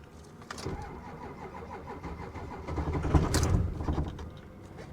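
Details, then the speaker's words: Diesel Ford F250 cranked on a booster pack: slow cranking, a few rough firing beats, brief swell, then dies; suspected lost fuel prime. "I'm telling you this is something that it lost its prime and there's no way we're going to be able to bring it back without killing the booster pack completely"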